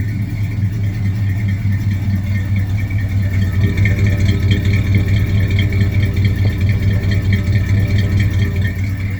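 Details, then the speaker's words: 1978 GMC truck, sitting a long time and started for the first time in a while, damp weather; the belt usually squeaks until warm but the squeak is now gone, steady even low rumble with no chirp: runs normally. "Always has a squeaky belt till it gets warmed up. I think the squeak's gone away now."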